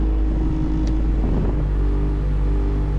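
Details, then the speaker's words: 1988-1991 Honda CRX Si with A/C, engine running, before replacing the old blower motor: steady droning hum with low rumble over the engine from the blower under the dash; A/C cold but the blower motor is noisy. "That's where the noise is. The AC blows nice and cold, but that noise is the issue."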